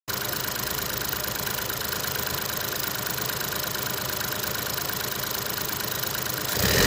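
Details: Ford 1.0 EcoBoost three-cylinder at idle: a fast, uneven rattling chatter over the engine note, from a noisy cam phaser (VANOS).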